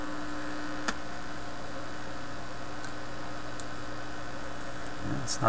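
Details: Viking Model 324 vintage record player: steady low electrical mains hum with faint buzz through the amplifier, level changing with outlet and plug orientation versus isolation transformer.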